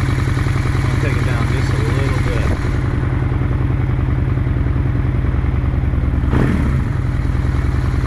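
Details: 2001 Honda Shadow VLX 600 V-twin after carb clean and pilot screw set three turns out: even, lumpy steady beat with no misses or stumbles; running properly.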